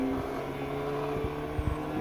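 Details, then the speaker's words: Homemade 3.5 W laser cutter (RAMPS 1.4, TTL on/off) doing a final cut on vinyl sticker: steady motor hum and buzzing with dull knocks as the gantry moves; machine vibrates, bearings noisy and not smooth, shouldn't make noise. "Donc ma machine elle vibrote un petit peu. C'est pour ça que ça fait du bruit, normalement c'est pas censé en faire."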